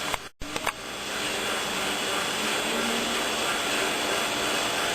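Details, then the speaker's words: Hottop KN-8828P coffee roaster just past 11 minutes, 6th segment, ~187°C, fan on third of four speeds (second highest), breeze out the back: steady airy rush with faint even drum rhythm, no rattles or scraping; normal fan operation. "at that point the fan has now come up to the third of the 4th speed, so it's running on its second highest speed at the moment. We're getting a reasonable little breeze coming out the back."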